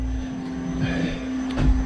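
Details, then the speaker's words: Race car fuel system after rewiring, following a failed dyno session where a new Hellcat pump drew excessive amps, plus a fuel leak; first run in about six months. Steady, even mid-pitched hum with no surging or rattle. Pump running and returning fuel normally. "But you can hear it's returning. She's pumping and returning."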